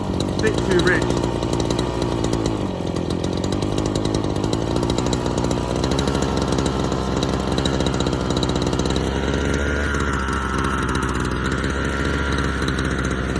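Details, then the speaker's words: Small two-stroke off choke: high, buzzy, slightly hunting note then pitch drops and wanders; still lean, starved of fuel, and tank running low. "that's lane still but it's probably just not getting enough fuel now"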